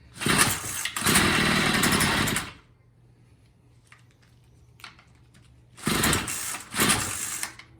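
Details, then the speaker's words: Troy-Bilt TB22 EC weed eater, first start attempt on half choke before carb adjustment: short rough bursts of buzzing that sag and cut out; carburetor definitely out of tune. "so yeah you can tell it's definitely out of tune so we just gotta keep repeat repeating that until we get to run half choke"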